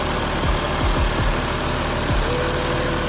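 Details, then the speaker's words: Toyota JZX100 Mark II 1JZ turbo six after tune-up with new spark plugs and oil change, idling three minutes: even steady low rumble, no ticking, knocking or misses, much smoother than before; normal idle. "okay 1jz has been idling for a good three minutes no weird noises the 1jz is idling and running significantly smoother as to be expected"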